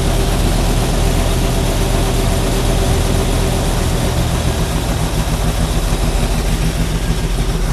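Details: Stock 327 V8 with newly installed carburetor after idle mixture screws and regular idle adjusted: deep, steady idle with even low burble, no misses or knocks; normal idle.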